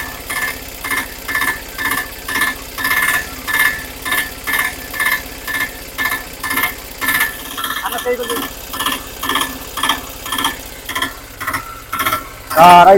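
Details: 2023 Piaggio Ape Classic auto after engine rebuild following seizure from 100 g overfilled engine oil: even, slow chug about two beats a second, no knocking or clatter; smooth healthy idle, pickup improved.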